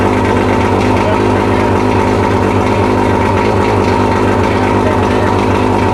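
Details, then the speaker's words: Mercury 115 two-stroke outboard, first test run after 18-month rebuild fixing idle hammering from severely worn piston (two engines combined), on water and premix tank: smooth consistent idle, no rap or knock; piston knock gone. "Fucking sounds amazing. Yeah. Sounds a whole lot better than it did. Yeah, I know. When you sitting here last time. Yeah, none of that knock stuff."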